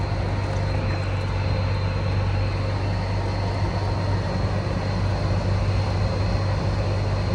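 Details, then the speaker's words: EZGO TXT golf cart with a 298cc engine, after a no-start was fixed with new carburetor, fuel pump, filters, lines, belts and an oil change: a steady, even low putter with no misses or stumbles, so it is running properly. "Hey, y'all seen it? From a no start to a fire up."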